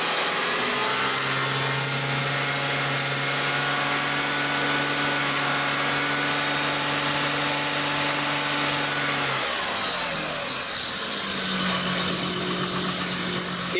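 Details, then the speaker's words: Toyota/Lexus engine at idle and revved with A/C on and full electrical load, charging voltage steady above 14 V: steady hum with a rough, gritty drone rising with revs. Noisy A/C compressor. "now you might be wondering what that noise is with the air conditioning on we're we're hearing a noisy ac compressor on this vehicle so that would be something to note down for the customer or the vehicle owner"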